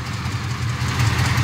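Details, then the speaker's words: 1984 Chevy C10 Silverado after an engine-bay fire, fixed by tightening a loose fuel line clamp and fitting a new fuel filter: steady low, even V8 rumble, no knocks or misses; normal idle after repair. "sit there and let it run for the longest and seems to be doing good"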